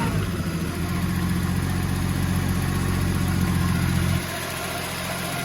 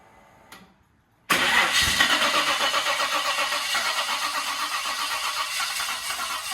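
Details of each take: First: Holden VL with newly installed RB30 turbo engine, running with no shifter fitted yet: a steady, even six-cylinder drone with no misfires, then revs settle lower and smooth. It is running much better than before, normal running. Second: Holden VL Turbo with RB30 engine, first start attempt after install: steady starter cranking at about four turns per second that never catches; cranks but no start for lack of fuel, which was then added.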